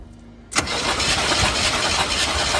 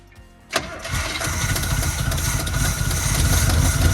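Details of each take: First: 1972 Chevy C20 with factory 402 big block, fresh oil just added, cranked during a spark check: the starter churns evenly but the engine never catches. No spark was seen, so it cranks but will not start. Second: 1972 Chevy C20 3/4-ton with factory 402 big-block V8, fuel line disconnected, running only on fuel poured into the carburetor: cranks, catches and settles into a steady, even idle with a low rumble and a little exhaust smoke.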